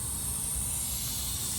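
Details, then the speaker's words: Semi-truck trailer tire punctured by a big piece of metal picked up on the highway; loud, steady, sharp hiss of air rushing out with no letup, leaking fast. "You might can hear the air from here. I'm gonna show you the damage here. And you can probably hear it right now. That is not a rock, that's a piece of metal."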